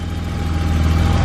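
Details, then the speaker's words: BMW E34 535i with M30 B35 straight-six, first start after purchase: smooth, quiet, even idle with a throaty note, no misfires or hissing; healthy engine. "it's just it's just running just like that sounds so good nice and throaty like an m30 should"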